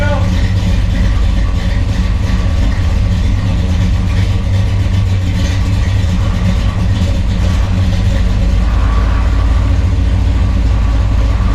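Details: 1963 Chevrolet Bel Air V8, 4-speed, on jack stands after new flywheel, clutch, clutch fork and clutch rod to fix chatter: deep, steady idle burble with even beat, no chatter or clunks; running healthy.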